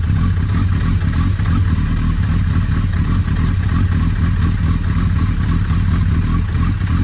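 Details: Suzuki Hayabusa after repairing a clutch pressure plate bolt that had unscrewed and released a spring, refilled with Motul 7100 10W-40: steady deep engine drone with normal mechanical clatter, no knocks or grinding, no leaks; repaired, running fine.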